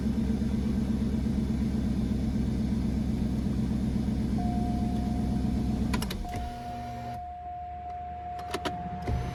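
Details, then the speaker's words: 2002 Northstar (earlier P0300/P0121, surging idle), running on a little gas because of a fuel leak: an even idle pulse at about 160 beats a minute with no hunting, then it cuts out as the fuel runs out; a normal idle. "Start running time. Big time improvement."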